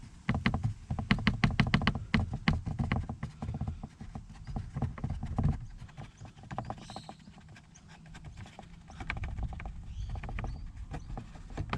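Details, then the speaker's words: Toyota Prius Gen 2, engine just started: fast uneven plastic clacking heard in cabin, worse toward the rear, traced under the car to a loose, flimsy underbody cover and loose holding mount flapping; owner hopes this is the rattle's source. "the exact noise I'm hearing inside the car so I'm hoping that we found the problem right"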